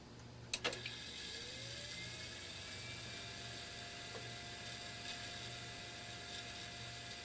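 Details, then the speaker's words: Digital picture frame cooling fan causing a house hum, after work to make it spin truer: small fan clicks on, spins up to a steady whine with a rough hissy whir from a spent bearing. "so yeah you can hear the bearing for sure"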